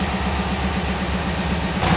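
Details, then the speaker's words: 1967 VW Westfalia Bus after replacing 009 with correct vacuum advance distributor: low, even, smooth warm idle with no misfire or hunting; no longer bogging when throttle stepped on, normal idle. "so we're going to wrap up the video engine sounds nice uh to me uh nice and smooth"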